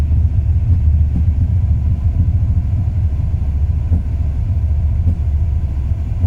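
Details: 2002 Ram 1500 5.9 V8 idling warm: deep, lumpy, uneven idle with rpm sagging. It runs perfectly cold; the rough idle starts after 3–5 minutes of warm-up. Plugs, wires, cap, rotor, cam and crank sensors are all new; cause unknown.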